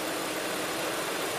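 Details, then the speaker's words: Land Rover Discovery 2 engine running after replacing the fan clutch (AutoZone 922790) to fix coolant creeping to 199 °F in traffic; exhaust leak present. Steady, airy, now more audible fan roar over a smooth engine, no knocks or squeals; a healthy new fan clutch. "I can actually hear the fan now where's before I was able to I think the fan is gonna be more audible but that's not going to be a problem"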